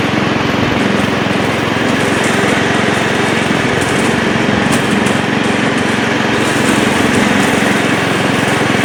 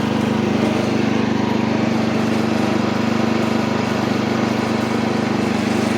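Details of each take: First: Old Montgomery Ward Power Kraft riding mower, no air filter fitted, blade engaged and cutting: small single-cylinder engine pulls steady and even with no misses, knocks or hunting, despite earlier stutters in gear; healthy running under load. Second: Old Montgomery Ward Power Kraft mower pulling off in first with choke and throttle fully up, no air filter fitted, oil full but due for a change; steady single-cylinder drone with slight unevenness; engine stutters under load, cause unknown.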